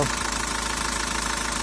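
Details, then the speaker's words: 1.9 dCi diesel at idle after cleaning the sensor: even clatter at fixed speed, no surging; previously revs jumped up and down, it jerked and stopped responding to the pedal. "в принципі працює вже більш-менш рівненько нема таких різких ніяких скачків працює як працює нічого лишнього немає"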